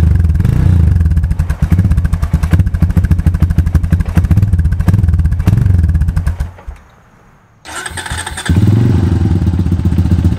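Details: 2002 Honda TRX250EX quad left outside under a tarp for 10 years, first start after fuse replacement and fuel additive: uneven thumping idle dies briefly and picks up, with knocking; stethoscope places knock near the clutch, owner hopes clutch adjustment fixes it.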